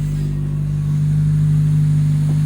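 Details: Honda City Type 2 on its first run with the exhaust fitted after a five-month engine rebuild: a steady, even low hum at idle with an odd motor sound whose source is unidentified.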